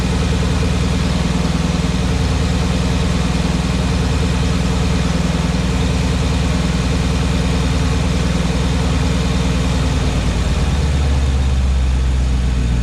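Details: Porsche Cayenne Turbo 957 at cold idle: heavy, deep idle with an uneven pulsing roughly three times a second over the engine note; abnormal cold-engine noise, cause unclear.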